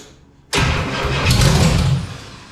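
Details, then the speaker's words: 472 Cadillac V8 in a tube-chassis S10 project, run with timed distributor, fed a little poured-in gas, no fuel or cooling system hooked up: catches at once with a loud, violent burst and fires over a second before easing off; clean start. "wow fired right up didn't it that's going to be pretty fun well that sounds violent"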